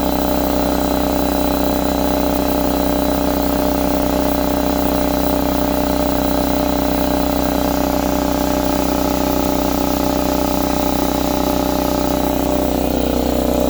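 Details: Husky C303H air compressor after repair for not building pressure (valve plate or piston ring): steady, even motor drone with a smooth pumping beat about three per second, no knocks or leaks; now building pressure, running hot but well.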